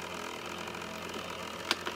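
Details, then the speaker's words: Trotec dehumidifier, about a year old, grown noisy: steady raspy whirr with a buzzy tone over the hum from its PC-style cooling fan motor bearing, clogged by sucked-in dust. "i actually found out what the problem causes so basically over time those things suck a lot of dust and other particles"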